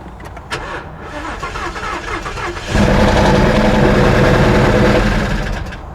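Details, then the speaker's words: Supercharged Ford Mustang bought at auction, run briefly with no oil and no water: catches after a second of cranking, then loud uneven rowdy idle; engine runs rough, cause not found. "The engine sounds rowdy, but it it's running. Oh, so it's just that noise in the engine."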